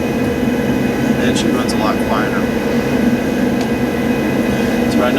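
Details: Laundromat furnace inducer motor running after repair of it not coming on: steady, even whoosh and low hum pulling air, no rattle or bearing growl; healthy.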